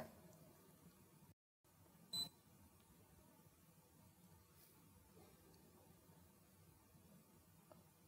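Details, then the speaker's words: Fluke 120B series (125B) ScopeMeter in record mode, voltage raised past the ±10% event threshold: near silence then one short high-pitched beep signalling the upper voltage limit exceeded. "We'll increase the voltage until we go beyond the threshold. Now once you pass the threshold, you'll hear a "beep"."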